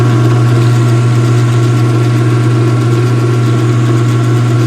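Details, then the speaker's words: Speed Queen washer with the front panel off, drawing around 430 watts: a loud steady low hum with even mechanical whir as the transmission spins and the belt runs; the drive sounds smooth and healthy. "Alright, this is humming really loud, guys, so it's probably going to do this sound adjustment on this, but there's the transmission now."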